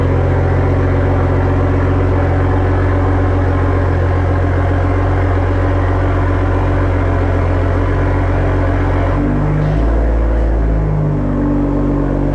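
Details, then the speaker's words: Evo with Tomei exhaust and stock OEM downpipe reinstalled: deep steady exhaust drone settling into an even idle, no knocks, misses or rattles; normal start, engine running smoothly. "i'm gonna want to hear the startup with the tomi exhaust and stock downpipe"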